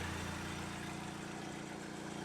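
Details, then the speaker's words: Used Hyundai donor engine with 212,000 km, oil slightly overfull, evidence of regular servicing; smooth, even low hum with a steady beat and no knocks, ticks or misses; normal idle. "It's sounding a lot better."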